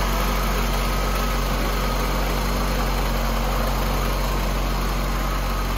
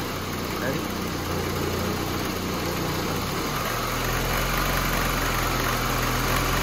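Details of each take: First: 1988 VW Cabriolet, Bosch CIS injection, after fixing a loose ground wire to the idle stabilizing valve that caused rough cold idle: steady, even idle with a smooth low beat, no stumbles or misses; normal idle. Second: 1988 VW Cabriolet, Bosch CIS fuel injection, idling cold: lumpy, rough idle with motor-mount vibration, then smoother and slightly faster when the loose idle stabilizer valve ground makes contact; rough idle from broken ground.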